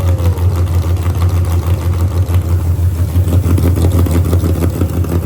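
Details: Burnout truck V8 on C16 fuel with nitrous, first start after a fuel pressure regulator found installed backwards was fixed and pressure set to 55 psi. Deep, loud, steady rumble with even pulses and no misfire; running properly.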